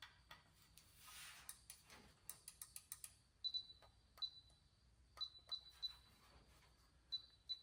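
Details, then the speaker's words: Used brake controller salvaged from a half-ton, bench-tested for the 1970 GMC 2500 with power to battery and brake-switch leads, then ground applied: crisp relay clicks in short sets with faint high beeps, stepping through its levels; controller lights up and works. "And then when you give it ground, hear it clicking. There's your different levels."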